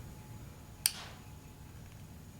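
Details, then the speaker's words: Fuel pump relay from 1993 Chevrolet Silverado with hard starting, bench-tested: one crisp click when coil energized, contacts close; relay tests good. "So when I energize it, whew, you hear it click."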